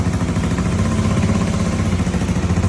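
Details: Yamaha Mio 125 MX carbureted scooter, after replacing the failed vacuum fuel cock that caused two months of no-start and hard starting: starts on one click and settles into a steady, even low putter with no misses or stumbles; healthy idle.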